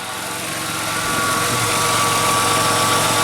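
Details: 1997 Nissan Maxima V6 with a rough idle and long crank time: steady, even idle with a smooth low hum and no exhaust puffing or ticking. Diagnosed as needing a new EGR valve.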